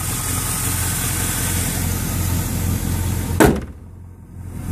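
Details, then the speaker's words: 1999 Chevrolet Camaro Z28 convertible, LS1 5.7L V8 with Spintech muffler, idling after new serpentine and A/C belts; belt squeal/screech now gone, shop found pulleys fine. Steady, even low rumble, no squeal or chirp: normal idle. "My LS1's nice and quiet now. They just put new belts on. I figured one of my pulleys was bad, but they said the pulleys were fine."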